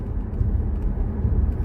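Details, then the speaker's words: 2017 Ford Explorer with codes P0300, P0302 and P0306, misfiring under heavy throttle or hills, earlier fixed by plugs and coils then returned; engine drone surges and sags unevenly, stumbling cut-out, mechanic suspects fuel starvation: misfire under load. "هذا ضعف تاشر لمه الماكينه هذه معناته انه في خلل في غرفه الاحتراق"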